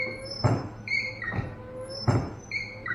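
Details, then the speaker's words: 1994 Chevy K1500 Blazer wipers after repair, key on: regular swish about every second and a half with light blade squeaks through low and high speeds, and they now switch off, unlike before when they would not stop. "high and that's off this switch is a little goofy too but they wouldn't do this before so we're going to call that a success huh"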